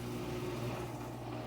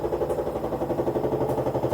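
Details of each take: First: Front-load washer drain pump during pump-out cycle, after three-phase drum motor checked good via electronic motor control board: steady low hum with an even pump whir, no rattles or grinding; strong water flow, drain pump healthy. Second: Old Kenmore front-load washer in spin, 600 to 900 rpm: steady knock about four per second over motor hum; probable cause bad drum, failed spider arm connection to rear bearing shell, or rear bearing; parts possibly unavailable.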